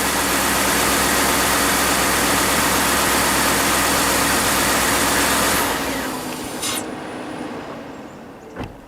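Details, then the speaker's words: Ford F-150 started right after an oil and filter change: even, steady engine hum for about six seconds with no ticking or knocking, then fades out; healthy idle. "Okay, fire it up. Does it sound okay? I think it's all right."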